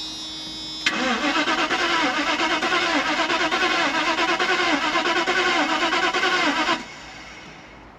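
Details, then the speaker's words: 1992 Mercedes-Benz S420 (400SE), on a junkyard battery with a quarter tank, cranked with starter fluid: steady cranking, about three turns a second for six seconds, never firing; it has spark but no fuel, so fuel starvation. "take number two we got spark so we just need fuel keep cranking"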